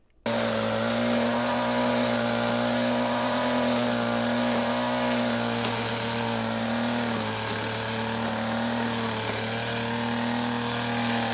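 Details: Stihl FS 40 C two-stroke string trimmer (weed eater) running: steady high buzzing drone with a sharp, even note, no misfire or hunting; running normally.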